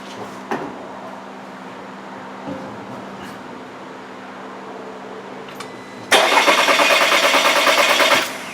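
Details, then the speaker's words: 2015 VW Tiguan 2.0T GDI with P0304 cylinder 4 misfire, new plugs, during a cranking compression test: starter cranks about three beats a second, even at first, then the rhythm turns lopsided as one cylinder's compression drops out. "it sounded like it had compression at first and then you could hear it drop out"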